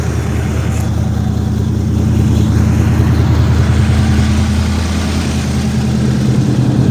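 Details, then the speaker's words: 1972 Chevelle rescued from a field, V8, after a fuel pump wire repair: deep, even idle with a steady low burble and no misses or surges, running beyond the squirt of gas; alternator gives 14 V, oil pressure 50 psi. "listen to her she sits there and Pur listen to her sits there and Pur yeah it's good I like"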